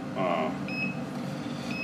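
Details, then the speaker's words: Car connected to a breakout box while testing a 70 A power supply against a Power Max PM3-100 as a programming supply, maintainer unplugged; short high chirps about once a second as battery voltage drops fast: low-voltage warning beep. "breakout box beeping because the voltage Y blows so fast"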